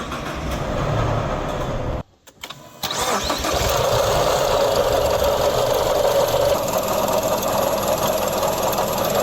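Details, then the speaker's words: Car engine cranks and catches, then runs with a rough whirring rattle over the idle; failing water pump bearing, pump to be replaced. "I hear a rattling noise inside that water pump for replacement it's the water pump and something with this bea"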